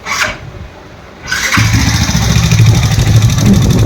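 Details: Yamaha R15 V3 starts and idles with fast light ticking over the exhaust beat; excessive valve clearance (tappet noise) needing tappet adjustment.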